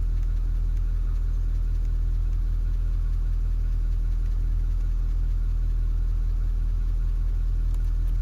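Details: 2015 Ford F-250 Powerstroke diesel just after changing both fuel filters and oil, filters not leaking: deep even diesel rumble at constant low pitch with no knocking or ticking; clean healthy idle.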